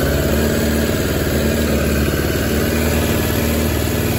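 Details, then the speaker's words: 2006 Suzuki GSX600F (K6) carbureted four-cylinder, cold on choke, owner reports rough low-rpm running after startup; steady, fast, even burble with no misses, all four cylinders firing properly, problem maybe only when cold. "now actually all four seems to be running properly which is a good news so the proba maybe just was for the cold engine"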